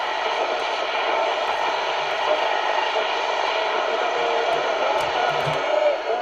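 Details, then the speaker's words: Refurbished Philips P3G38T all-transistor car portable radio, transistors thought to have been zapped during refurbishment, on medium wave: a steady hiss with faint whistles and a weak distant station, so it is receiving some DX normally. "So there's a bit of DX there."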